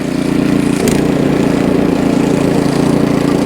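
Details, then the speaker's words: Ariens Deluxe 28 snowblower, LCT 254cc engine, after full carburetor cleaning, choke off: steady even drone holds pitch under load with no sag or hunting; normal healthy running under load. "Oh, that runs great. And off. That Ariens Deluxe 28 starts right up and runs great"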